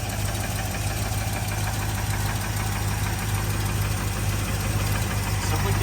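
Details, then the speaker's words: Ford Bronco V8 rescued from a front yard, first start on fuel poured into the bowl, idles better than their daily cars: deep steady rumble, even beat, no misses or knocks; normal idle. "how is it valuable way seems to run and idle better than any of the cars we actually drive"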